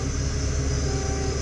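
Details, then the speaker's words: Datsun project car, first start attempt on a battery that may still be too dead, left in gear: low, laboured rumble pulsing slowly as it turns over, weak sluggish cranking; the battery then died and the starter may have been strained. "That didn't sound good. Try it again."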